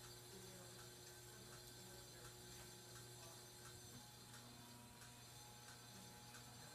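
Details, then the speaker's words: 42" Aloha Breeze hugger ceiling fan on low speed: faint irregular ticks over low steady hum, bearing noise and buzzing; scrapes against something, cause unknown. "fan does have a lot of bearing noise too and it buzzes a lot yeah it does really scrape against something but I don't know what it is"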